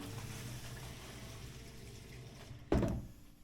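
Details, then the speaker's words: Sump pump run manually: steady pump hum and water flow, then one sharp heavy clunk at shutoff as its internal check valve slams shut (water hammer); fixed by installing a silent check valve. "So you heard that right there. I'm not going to do it again since I got most of the water out, but it made like a kunk sound, and that's what is keeping me up."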